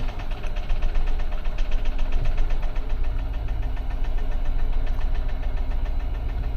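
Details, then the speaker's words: 2015 Infiniti QX80 after a donor ECM install with the original EEPROM data: an uneven, stumbling idle with shaking and a flashing check engine light. Multi-cylinder misfire, P0300, across several cylinders; a compression issue is suspected. "I do feel a little something though. There's a little shake going on. Yeah, check engine lights flashing. I don't know what that is either. That don't sound good."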